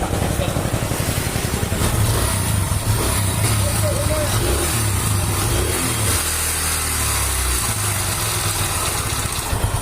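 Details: Mahindra Centuro motorcycle: uneven, lumpy low idle beat with extra mechanical clatter; abnormal engine noise, cause unconfirmed.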